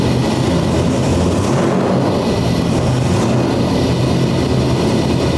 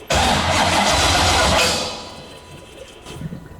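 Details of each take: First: C6 Corvette drift build, 427ci single-turbo LS V8, first start after swapping cam sensor wires, idle not yet set: loud, lumpy, uneven rumble, runs but rough; owner suspects further issues needing intake removal; rough idle before idle setup. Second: C6 Corvette drift build, 427ci single-turbo LS, first startup; starter spins hard about a second and a half, never fires; fuel pump voltage drops to about nine while cranking, starter power wire to be moved directly to battery.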